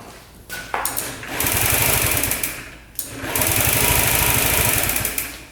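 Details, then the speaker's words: 2007 Honda Metropolitan scooter, on a jumper pack after a loose positive connection (relay suspected bad): two strong bursts of fast, even starter whirring spinning the engine steadily; electric start now cranks normally. "So starter is working now. I think the positive was kind of clicking on and off in there. So that relay probably wasn't working. But now you hit the start button turns over just fine."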